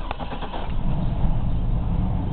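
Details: 2000 Chevrolet Blazer V6, semi-cold start on a very cold day, temperature gauge still reading cold: a few quick cranking pulses, then it catches into a steady even low rumble without stumbling; healthy start.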